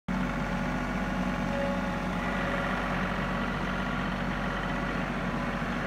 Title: John Deere 3032E Whining Noise